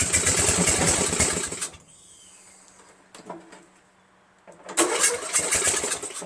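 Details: Murray Select 13.5 hp 40-inch mower, Briggs flathead with a stripped head bolt hole, started overnight-cold by jumping the solenoid after a battery charge. It runs rough under two seconds, dies, then catches briefly; it runs worse than the day before, cause unknown.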